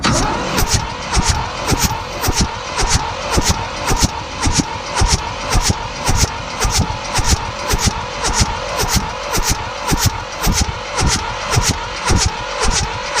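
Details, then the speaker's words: Mitsubishi D1800 tractor, KE95 diesel, chilly day, full fuel, no glow: steady starter cranking, never catches; fuel reaches the ND injection pump and it bled okay, but nothing comes out of the injectors after the pump overhaul and retiming. "all right so we cranked it and we don't have any uh nothing coming out we got some fuel coming into the pump down here it seemed to bleed okay but we've got nothing coming out of the uh injectors"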